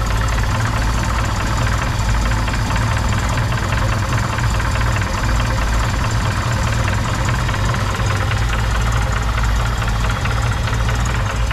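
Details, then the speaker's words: 1981/82 Chevrolet Opala Comodoro four-cylinder running on petrol: idles steadily with a rapid regular knock over the deep rumble. Owner says it runs, pulls and is balanced well, no stalling or smoke; the noise is the only problem. Diagnosing with an instrument. "a único problema dele realmente é o barulho tá é um é somente esse problema aí sonoro"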